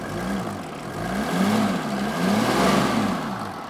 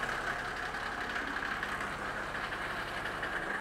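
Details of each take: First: Old non-turbo Mercedes G Wagon, just started on the second attempt, picks up cleanly and drops back in smooth, even swells with no knocks or misses; normal, healthy revving. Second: Old non-turbo Mercedes G Wagon, just restarted, holds a steady, very loud idle with a rough hollow drone and no clear knock, then is switched off; the engine is excessively loud, cause not identified.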